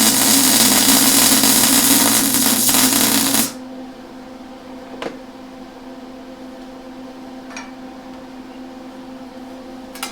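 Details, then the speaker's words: Lincoln Electric Handy Mig running beads on sheet metal: harsh, stuttering arc crackle for about three seconds before cutting out, with the wire bouncing back because feed speed was set too high; slowing it down fixed it. MIG wire feed speed too high. "Okay, so I did wind up slowing that wire feed down. It was kind of bouncing back on me. You can see here where I had it up too high, and that was just, well, let's face it, it looks like crap."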